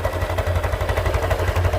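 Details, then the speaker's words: Honda Beat (2020–2021), about 24,400 km: rough, uneven clattering at idle from the engine between the middle and the front, not the CVT block; worn camshaft bearing, linked to cheap/fake oil. "masalahnya ada di bagian mesin suaranya ada di bagian mesin ya bukan di bagian blok CVT tapi di daerah sini nih antara mesin Tengah sama di bagian depan"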